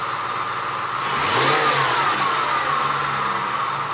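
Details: 2003 Ford F-150 4.6 L V8, revved through 1,500–2,000 rpm where drive belt squeal previously occurred, after fixing the squeal: engine revs cleanly and settles, even note, no chirp or squeal; normal drive belt.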